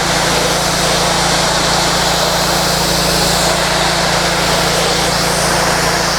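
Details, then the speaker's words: Simpson MegaShot MS60921 pressure washer spraying with the 40-degree nozzle, no soap: a loud, steady engine drone with even spray hiss, no surging or misses; normal running under load with lots of power. "You can hear how loud the unit is. There's when it's spraying. It's got lots of power."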